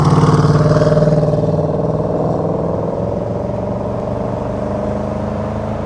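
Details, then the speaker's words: Range Rover Sport SVR, replacement 5.0 L engine fitted after a major failure, on a road test: strong, even note pulling hard under acceleration with no misses, knocks or rattles; healthy. "it does sound nice there's no one about to day well certainly gets up and goes will what a beast what a beast"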